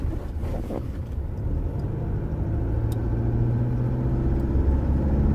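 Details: Toyota Hilux/SW4 (2005–2015) test drive over a rough stretch after repairing brake pedal play that caused a clunk; only steady low road rumble, no knocks or clunks from the pedal area — no brake pedal clunk.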